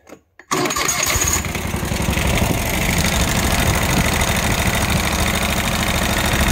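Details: Kawasaki FH601V V-twin on a Scag Tiger Cub mower, 1700 hours, after repair of governor over-revving, oil leaks and a worn plate that clanked like rod knock: fires up and runs steady and even, no knocking or surging.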